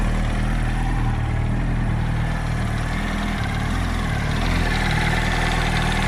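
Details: 2007 Yamaha R1 idling with a low, uneven knock about three a second; owner suspects camshaft or clutch springs/basket, not confirmed.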